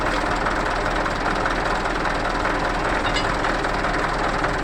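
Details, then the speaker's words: Mitsubishi Canter truck manual transmission, raised to listen before teardown: rough, continuous gravelly growl at constant pitch while the drivetrain runs; sounds like a failed transmission bearing, rear bearing then removed. "kira-kira seperti itu bunyi ada yang rusak"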